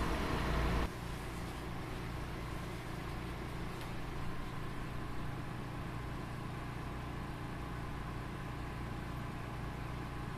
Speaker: for a product which is often considered the noisiest in the laboratory they're pretty quiet